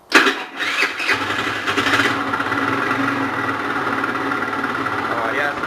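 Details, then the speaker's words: GY6 four-stroke scooter idling loud and clattery with a constant mechanical rattle; owner first suspected disintegrated exhaust internals, but it turned out to be a worn connecting rod big end bearing. "running now and it's just very noisy it's weird it's not like a specific noise you know this is general like a credible engine noise it's really loud"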